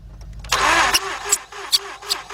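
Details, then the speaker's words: 2006/2007 Mazda 6 V6 auction car that cranks but won't start. Starter spins fast and light with no rhythmic compression chuffing. No compression found; oil changes neglected and the timing chain has play, so the engine is judged no good. "And as soon as we heard it crank over, we knew it had no compression."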